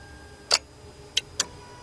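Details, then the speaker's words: Lexus LS460 that does not start or crank: three sharp starter relay clicks on key-start with no cranking; relay felt clicking, a light turned red; cause under diagnosis. "Yeah. The relay's clicking. Yeah, I hear the relay clicking."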